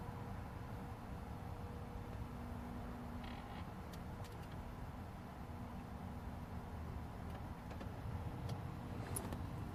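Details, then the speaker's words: 2008 Audi A6 after HVAC flap repair, ignition on during basic-settings initialization; faint, even flap motor hum under the dash with no flapping or clatter heard before, flap actuator now working normally. "so motors are running again but as you can see there's no noise anymore all you hear is the motor M running there's no there's no more flopping about like we heard at the"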